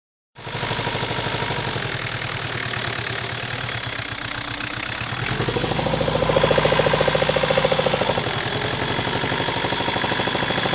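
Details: Ford 1.8 turbo-diesel at idle with a heavy, regular knock of about three and a half per second that never drops out. This is a worn crankshaft bearing; the crankshaft later broke in two.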